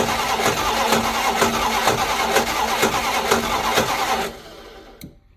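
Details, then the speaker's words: 1972 Plymouth Fury I, long neglected, carb float bowl primed by hand: engine catches and pulses unevenly about two beats a second, then dies; owner suspects something clogged, not picking up gas, unconfirmed. "Something's clogged up. Doesn't seem to be picking up gas."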